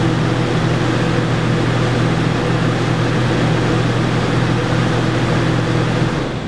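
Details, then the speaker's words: Yamaha generator powering an RV air conditioner with Supco SPP6 hard start capacitor, after repeated restart cycles: steady, even hum holding speed under compressor load, no hunting or surging; normal running under air conditioner load. "yeah been through the repeat cycle a couple of times here and seems to be doing what it should be doing so I'm pleased"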